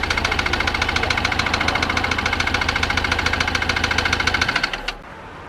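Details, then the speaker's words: Flooded, previously seized Mercedes W204 diesel freed and running: sharp regular knocks about 3.5 per second through rough idle before cutting out; sounds badly unhealthy, injectors suspected to need resealing. "so we've got it running but it sounds like an absolute bag of spanners but the objective was was to unseize the engine and we managed that"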